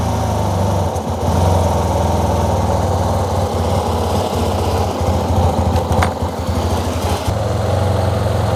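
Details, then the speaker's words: Yamaha TMAX scooter, fuel injected, long unused, ignition reinstalled and oil added: loud, uneven chugging idle that stumbles. The ignition and ECU are confirmed OK; owner suspects a wrong fuel-air mixture, an air leak or fuel starvation. "it was an improvement at least I got it to work the ignition works I know now that it's not an ECU issue but there seems to be some sort of fuel air mixture that's not right"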